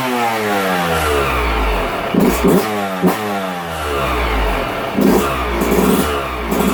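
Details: 2022 YZ125 two-stroke, low hours, after top-end rebuild for broken stock cast piston, full heat cycle done, shop smoky: crisp revving up and down, clean and even without knocks or rattles; healthy.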